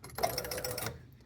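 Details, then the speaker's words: Gottlieb King Kool pinball during restoration: quick burst of mechanical clatter under a second, then quiet, the score motor stepping one position normally. "I guess this will make the score motor run. Yeah. See, it's running."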